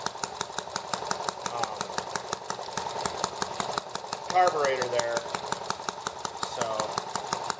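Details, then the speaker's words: ET8 small engine (from Banggood) on first start after rebuild with replacement parts, 40:1 fuel mix, rich, throttle about half, cold: fast uneven popping that stumbles; intake valve leaking, puffing air back out, valves not yet seated. "oh yeah that intake valve is that intake valve is leaking a lot i can feel it puffing air back out through the uh"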